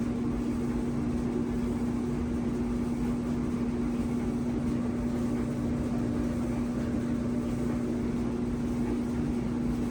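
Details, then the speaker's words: Old Maytag dryer that was not drying, first run after repair and reassembly on a 20-minute cycle. A steady low drone and hum hold one pitch over the tumbling rumble. The noise is unfamiliar, the dryer is not yet heating and the cause is not found. "inside I've never heard that before let me just finally working I don't know it sounds scary"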